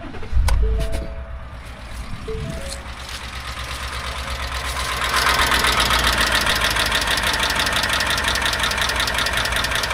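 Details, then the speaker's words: Ford Coyote 5.0 V8 truck, 168,000 miles, idling: steady light valvetrain tapping, about four taps a second, returning after an earlier failed roller rocker bearing; another rocker and lifter failure or exhaust cam damage suspected. "It had a bad tick in the valveetrain, and we found a failed rocker. Uh the bearing, the actual roller bearing came apart in it. Truck is back for a similar complaint."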